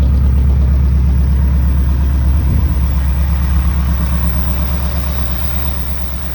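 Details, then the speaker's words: 1964 Buick Riviera V8 revived after sitting about 23 years, heard at the tailpipe, idle turned up, charging at 13.2 volts: deep even exhaust burble with no misfire or skipping; normal idle. "can't charging y 13.2 that's perfector good that sounds sweet great all right sounds beautiful"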